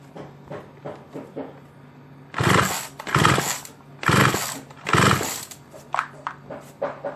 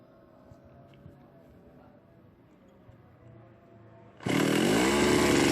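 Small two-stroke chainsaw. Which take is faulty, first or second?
first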